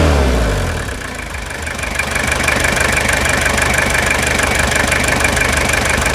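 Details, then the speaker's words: 1997 Toyota Hilux SR5 2.8 diesel after revitalization, engine reinstalled; even, steady diesel clatter at idle with regular beat, no knocks or misses — normal diesel idle. "esse som produzido por este motor é um coral de anjos show de bola né Guerreiro Esse motor tem um som suave característico que é só dele"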